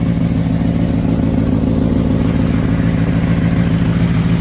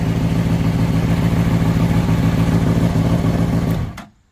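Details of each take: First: Honda CBR600RR motorcycle recovered from a pond after a crash, first start with tip-over switch bypassed and rags possibly still in intake: strong engine note with sharp rev blips and slight raspy puff, suspected exhaust leak. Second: Honda CBR600RR recovered from a pond after a crash, oil pressure sensor bypassed, popped radiator; smooth even four-cylinder hum, no smoke, ticking or knocking, then clean shutdown; healthy engine.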